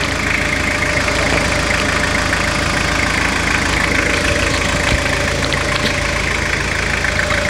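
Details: Restored Toyota Hilux (1992–2001 generation) "Garbosa" diesel, first listen after the full engine restoration, with the T-Belt light still on: a steady, even idle with light regular clatter and no misses or knocks. Normal, healthy diesel idle.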